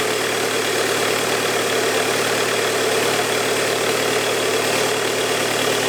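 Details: Bobcat with Kubota diesel after high pressure fuel pump repair, fuel primed through new filter, started by shorting the starter wire: diesel settles into a steady, even clatter with no misses or stumbles; running normally.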